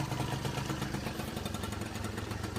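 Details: Peugeot Speedfight two-stroke moped just kickstarted: quick, regular putter holding a steady idle, with no hesitation or dying out; it runs properly.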